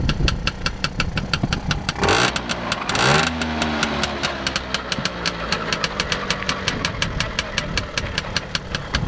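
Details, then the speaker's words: Tomos A55 two-stroke moped idling after coil pack refit on original stator: fast, even ticking rattle over the engine note, like a slightly slack drive chain; chain rattle suspected, not confirmed. "sounds like a chain tightening in order too H maybe a little bit all right she's good to go pretty cute"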